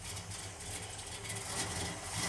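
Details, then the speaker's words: 1971 Plymouth Satellite V8 after a repair: even, low burble at idle with no ticking or puffing from the manifold; sounds normal, not leaking at all. "Well, that sounds normal now. That's a heck of a lot better. Yeah, it's not leaking at all."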